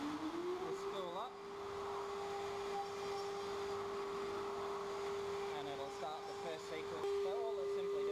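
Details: CNC router spindle with a 4mm drill in its first sequence, extractor running in the background: spools up to a steady high whine held evenly while drilling, light cutting ticks over the top; normal spindle operation.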